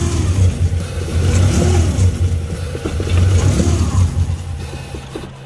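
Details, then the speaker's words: 1999 Honda Civic DX (EK) after a timing belt and tensioner replacement. Low idle sags and surges, kept alive by throttle blips before fading. Blamed on a bad IAC doing typical Honda IAC things; it sounds good once the IAC closes up. "It's got a bad IAC, so it's obviously doing typical Honda IAC things."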